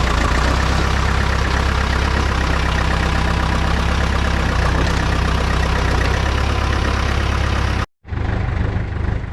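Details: John Deere 450 bulldozer diesel idling after cold start: even, deep chug, steady with no knocks or misses, brief cut near the end; engine running healthy.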